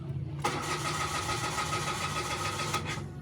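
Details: Mitsubishi Mirage G4 automatic: starter cranks the petrol engine at an even beat for a few seconds but it never fires; check engine light slow to come on, scanner cannot connect.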